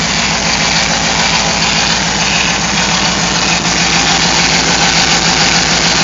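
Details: Hemi V8 after an aftermarket cam and Flex-a-lite fan install, power steering fluid drained: thin whine over a steady, lumpy idle; power steering pump whining from lack of fluid, fixed by adding transmission fluid.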